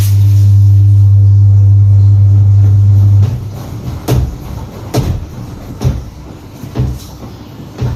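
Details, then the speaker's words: Top-load automatic washing machine, about 5–6 years old, after replacing all four suspension rods that caused banging in spin: drum spins up with steady low hum and coasts down with even swishes, no banging; fixed. "现在也不撞了，是不是？现在这个就修好了"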